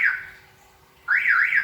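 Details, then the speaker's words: Toyota Innova Reborn alarm on remote lock: two long warbling beeps instead of the usual chirp, different from the open-door signal, meaning the engine bonnet is still open. "artinya kap mesin masih terbuka deh"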